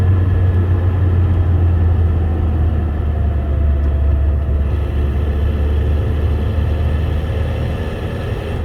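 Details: Ford Mondeo Mk3 1.8, 125 PS, under acceleration: a steady low engine drone under load with faint uneven pulsing; an odd noise when accelerating, source not identified.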